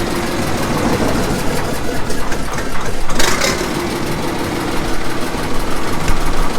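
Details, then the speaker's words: 1954 Caterpillar No. 6 shovel diesel, first start after 15+ years in a barn, decompression lever now closed, slightly smoky: low steady idle with firm even beat under full compression, slight tick still noted; normal diesel running. "That sounds better. The decompression valve is on. Alright, now she'll make power."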